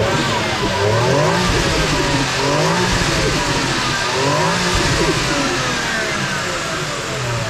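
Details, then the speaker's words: 2001 Toyota Crown Athlete V, stock 1JZ-GTE turbo, 194,000 km, fully warm: repeated revs rise and fall with soft fluttery turbo chatter as the throttle closes; normal, not loud, stock turbo flutter. "So you can hear some turbo flutter there. It's standard cars, so it's not going to be too loud."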